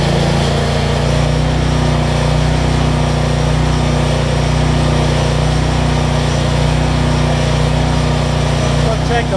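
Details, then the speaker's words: Generac 7500EXL generator after unplugging bad low oil switch (was shutting down after 3-5 seconds) and slowing throttle speed, ~1500W heat gun load: steady even drone, no hunting or surging; speed settled. "and it makes me show that all the basics work on this thing i always got to choke that's much better idle control"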